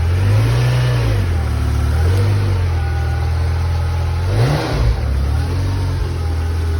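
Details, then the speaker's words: 1989 Ferrari Mondial T Coupe, totally cold after sitting about a week: deep steady engine note with several clean blips rising and settling evenly; healthy cold start and free revving. "Hi, I'm starting the Mondial T Coupe. It hasn't been started in about a week. It's totally cold, and I'm going to go ahead and crank it."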